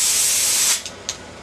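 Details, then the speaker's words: T80 air compressor at about 50 psi, squeaking and rattling, before teardown; sharp sustained hiss for under a second, then the valve snaps shut with a short puff; safety pop-off valve venting normally. "Now it worked and pop off Works cuz it popped off too so we'll go ahead and turn the compressor off"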